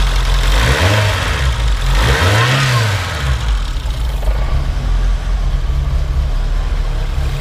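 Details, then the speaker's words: 1972 BMW 2002tii cold start with the header dead cold and no choke: it shakes a little until warm, then two light revs rise and fall smoothly and it drops back to an even low idle with no knocking. Healthy engine. "so when it first starts shakes a little bit until it warms up so we'll go ahead and start it [Music] so it actually starts pretty good until it warms up you can hear the exhaust go ahead and rev it up a little"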